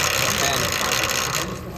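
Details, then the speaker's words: Yamaha Tenere 700: dry hissy rubbing chatter as the chain rubs on the OEM chain roller, persisting despite greasing; chain rubbing on chain roller. "Seems like that noise is coming from the roller."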